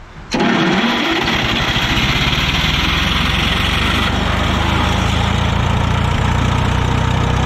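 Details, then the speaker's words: Bandit model 65 wood chipper with an air-cooled Wisconsin VH4D engine, after repairs including a voltage regulator. Quick crank, then a steady, even, loud beat with no misses or knocks. Normal running. "motor runs great got some cleanup to do motor runs great"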